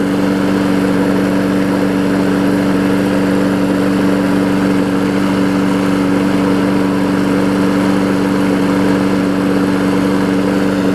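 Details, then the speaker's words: 5 hp Briggs Quantum engine swapped onto a 2014 Weed Eater big-wheel push mower deck, running after the swap while burning off oil smoke; steady single-cylinder drone at constant speed, no misses, knocks or surging; runs really well. "With the older engine on it, runs really well too, so the old quantum engines are good."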